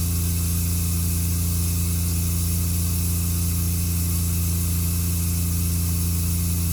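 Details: Concession trailer water pump switched on at startup with water in the tank and water heater plugged in: deep steady drone with a fast even pulse, no rattle or surging; normal pump operation.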